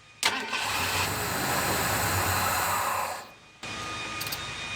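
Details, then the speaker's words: 1991 Ford Bronco that sat 2 years with old fuel, after reconnecting vacuum lines: it catches and runs about three seconds, then dies. The stalling is from low fuel pressure. "Well, it started, didn't stay running. Let's see here. Yeah, I think the EGR valve is pretty much. But at least I got it to start. Definitely heading in the right direction. I think I figured out the problem. We don't have enough fuel pressure."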